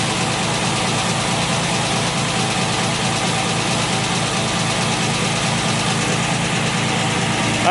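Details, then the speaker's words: 1968 MGC catches and settles into a steady, even idle with no misfire, right after fixing a no-start that followed fitting a refurbished distributor and new coil; the bad coil was confirmed as the only problem. "okay so you can see there that obviously the fix worked and that coil was my problem and my only problem"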